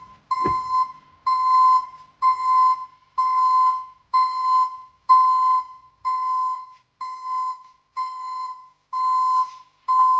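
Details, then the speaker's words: ECCO 530 backup alarm newly installed at the rear of a Chevy Silverado pickup: clear high single-tone beep about once a second, ten in a row, like a commercial backup alarm; working normally. "from what you just heard um the uh recording doesn't do it justice I mean it sounds like a commercial um backup alarm"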